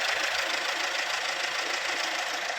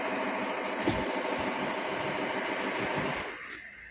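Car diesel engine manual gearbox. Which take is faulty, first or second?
second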